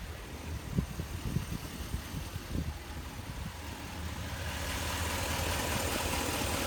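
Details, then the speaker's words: 2019 Ram 1500 HEMI V8 with cracked exhaust manifold, warm: even idle with only faint irregular ticks that soon fade as the manifold crack seals up with expansion, unlike the much louder cold sound. "let me show you a clip of what it sounds like warm and you'll see that there's a pretty stark difference between the"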